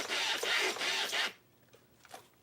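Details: LST RC truck, newly bought, on a table: the steering gives three quick, high, scratchy squeaks as the wheels sweep, then goes quiet. Crunching is also heard on the other side; the owner suspects one servo is blown.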